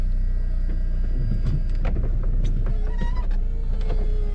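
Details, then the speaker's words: 2007 Saab 9-3 Convertible: steady low motor hum with a few soft latch clunks as the roof folds, no straining or grinding; roof button works and the top operates normally, on a 69-degree day. "transmission shifts nice and smooth and one cool thing is when you hit the button for the roof everything works"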